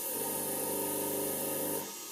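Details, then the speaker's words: Homemade belt grinder motor on TDA1085 speed controller, set to 1600 rpm and checked with a tachometer; under load speed dips then recovers, steady high motor whine holds pitch then cuts off cleanly; controller holds speed well. "ну будет 1600 оборотов проседает на вытягивает естественно подымается да нет справляется"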